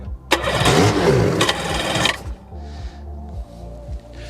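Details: 1996 Sea-Doo HX 717cc jet ski, sat unused in a barn for years, about 150 psi per cylinder, stale fuel: fast cranking bursts that sputter but never catch; cranks, won't start; suspected gummed-up carburetors and fuel lines, not confirmed.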